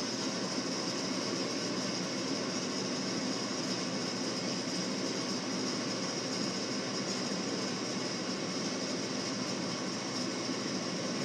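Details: Frigidaire gas forced hot air furnace with no-ignition fault, first light-off after a new replacement part was wired in: steady, even burner roar, no bangs, puffs or delayed-ignition thump; normal furnace light-off.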